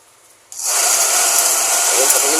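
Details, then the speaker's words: Taiff Ion hair dryer on 220 V switching on: loud hissy air rush with faint wavering hum; blower noisy and weak, unit to be opened and cleaned. "um barulho. Tá fraco."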